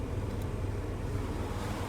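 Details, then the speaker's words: Toyota MR2 (E153 transmission) idling steady with even rumble, clutch chirp gone after lithium grease on clutch fork pivot and joint points. "one more sound pretty exciting stuff sound is completely gone pretty exciting stuff"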